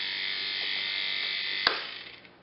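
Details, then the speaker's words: Heavily neglected 1950s Federal Beacon Ray motor on its first test run after repair: a hissy, high-pitched buzz, then a click and spin-down, from new brushes not yet seated; the noise should go away as the brushes bed in. "what we're hearing is the noise of aggression they're gonna they're not smooth as this runs those pressures will smooth out in the light of this noise will go away"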